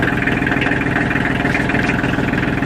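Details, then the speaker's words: Kioti DK35/45 diesel tractor on a cold day, started with the clutch in and still partly disassembled, after its timer relay was replaced because the engine would not shut off with the key. Steady, even idle with no misses or knocks; runs healthy. "So, clutch in. Okay, so she runs."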